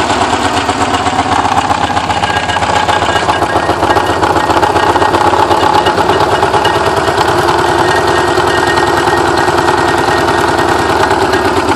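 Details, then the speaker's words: Porsche 944 starting after ten years sitting, with all exhaust valves bent when the timing belt tensioner pulley fell off: uneven sputtering chuffs about four a second, coughing and stumbling, running rough. "Well, that sounds terrible."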